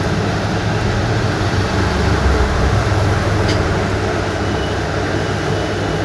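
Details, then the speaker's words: 26mm rotary hammer machine after full repair (gearbox, bearings, carbon brushes, greasing) on no-load test: steady, even motor roar with low hum, no knocks, rattles or grinding; sounds like new, working properly. "Complete नहीं बताता इसकी आवाज सुनील बिल्कुल company जैसी आवाज है इसकी"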